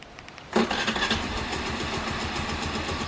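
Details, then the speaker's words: Bike or scooter with an Autofy anti-theft alarm, remote-started with a double press and no key inserted. Clean catch after a short crank, settling into a fast, even idle putter with no misfire. Normal engine start. "ഉണ്ടോ, വണ്ടി സ്റ്റാർട്ടായിട്ടുണ്ട്."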